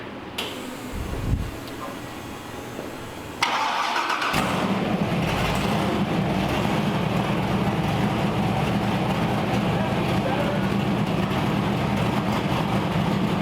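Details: LS V8 Ultra 4 off-road buggy on the dyno, very loose torque converter: cranks briefly, catches and settles into a deep, even idle with steady rumble. Normal idle.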